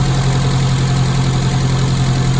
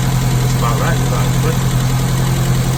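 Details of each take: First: Classic Mini carburettor engine after Gunson Colourtune mixture and idle adjustment, blue plug flame: smooth, constant idle around 900 rpm, even beat, no hunting or knocking; healthy, well-tuned. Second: Classic Mini carburettor engine during Gunson Colourtune tuning: steady smooth idle but noticeably too fast; idle adjustment screw being backed off with a small screwdriver, target about 900 rpm.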